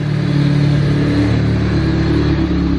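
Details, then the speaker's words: Honda Del Sol with stock single-cam D16Z6 and eBay turbo kit, during dyno tuning with unknown injectors: steady, even low idle firing cleanly on all four cylinders, air-fuel about 11. "seems like uh seems like it's hitting on all four so that's"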